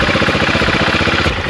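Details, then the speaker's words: AJP PR7 single-cylinder motorcycle, first start after engine-damage rebuild with weak battery: lumpy, stumbling uneven firing just after start, needs throttle held open to keep running; rough idle, cause not confirmed. "irgendwie ganz Komis muss das Gas auf drerehen damit sie überhaupt komm int jetzt ein bisschen"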